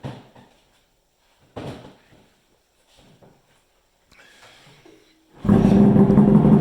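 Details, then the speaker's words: Polaris Ultra 680 triple two-stroke, first heat runs, now with trash can exhaust: after a few scattered knocks it fires into a loud, deep, even burble that holds steady; a healthy, throaty running engine. "Just a small difference. Sounds killer. Man, that thing's awesome. That thing does something sweet. Yeah, that's got a nice throat to it for sure. Absolutely a nice throaty sound to it."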